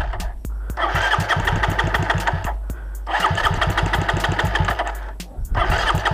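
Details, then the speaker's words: Raider 150 motorcycle single-cylinder engine thumps, falters and repeatedly dies when climbing uphill though fine on level ground, sounding like it is drowning; owner suspects a spark plug problem, not confirmed. "Ayan mga ka-ar paggaganyan ayaw na siya. Yung sinasabi ko mga ka-reader kapagka paahon na siya ag pag pagka may problema kasi si mga ka-reaer sa spark plug"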